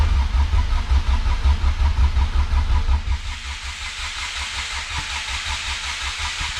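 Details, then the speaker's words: Honda EF hatch with LSV all-motor engine, Hondata S300: injectors and distributor unplugged, cranking with no firing to build oil pressure until the light goes out; rhythmic starter churn about 160 pulses a minute, no odd knocks; normal priming crank. "so we are going to crank it to get oil pressure and once the light goes out we got a little pressure"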